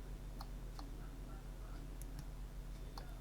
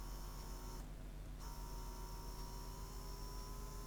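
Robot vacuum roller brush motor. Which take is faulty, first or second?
first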